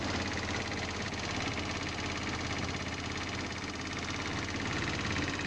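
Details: GY6 scooter engine after losing power at about 50 mph: a loose, uneven tapping rattle at about three per second, seemingly from the lower motor. It persists after a valve adjustment that found one valve very tight, and the owner suspects rod knock.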